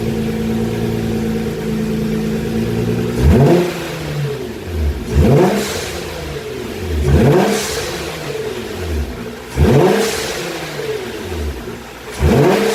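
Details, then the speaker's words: Nissan GT-R after dump valve replacement, new valves fitted on both left and right sides: engine blipped about five times, each lift-off gives a sharp hissy whoosh as the valves vent; normal healthy dump valve operation. "nissan gt r le bruit que ça fait quelques instants allez on va redémarrer ça et on va voir ce que ça donne"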